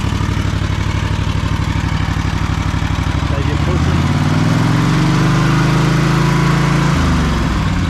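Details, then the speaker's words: Husqvarna stand-on mower crawling under load: engine note sags and won't reach full revs, slow to wind up on engagement; owner suspects engine and clutch, possibly a pump, to be checked by dealer. "i'm thinking more engine related as well as the clutch but i'm thinking something to do with the engine it's fogging down it's not really getting up to revs"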